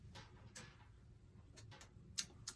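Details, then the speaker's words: Ingraham SSD8 electric strike clock, c. 1936, after repair and restoration: light, even ticking of the clock motor with no rubbing or buzzing; normal running before strike test. "and it's running and now let's see if the strike functions as it should"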